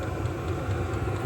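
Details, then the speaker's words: 12V HCalory diesel heater mounted outside a conex cabin, running after a restart following error code 10: intake, fan, fuel pump and exhaust audible as a soft, even low rumble with steady fan rush and gentle exhaust pulsing, running normally. "You can hear the intake, hear the fan, hear the fuel pump, can hear the uh exhaust. It's about as loud as it is."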